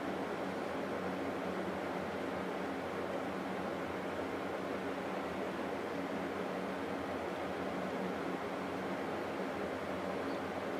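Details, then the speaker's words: 1989 Climatrol Fedders 8k BTU air conditioner Samsung fan motor, reassembled after oiling a very stiff motor, running on low; a soft, even whoosh with no ticking, rubbing or pulsing, slightly off balance: normal fan running. "that is so much much better it's a little off balance cuz it kind of went backwards but this thing is uh doing a lot better now"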